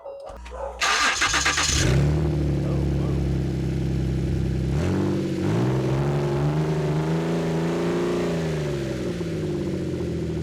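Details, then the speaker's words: Ford Flex V6 with both front flex exhaust pipes removed: cranks, catches, then a loud, deep, raspy idle near 1000 rpm with a short blip; exhaust open right at the manifolds. "kind of like it it sounds really deep and really gnarly"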